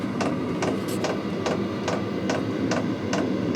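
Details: Diesel heater in a custom truck camper, about 10 minutes after start and warming the cabin to about 50 degrees: sharp dosing-pump ticks about 140 a minute over a soft fan whir; the muffler and exhaust stay cool, and running is normal.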